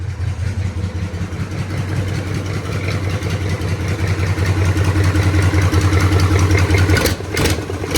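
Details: 1983 K5 Blazer with a swapped 6.2 diesel and NV4500, warm restart after a short first run and glow plugs: it settles into a steady, even, low diesel rumble with no knocks or misses. It idles healthy.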